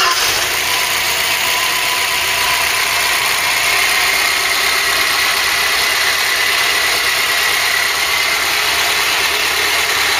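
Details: Ford Cortina Mk3 with newly rebuilt 2.0 Pinto engine, auto choke working, warmed up with temperature holding mid-gauge: even steady idle for ten seconds, no misses, knocks or hunting; normal warm idle.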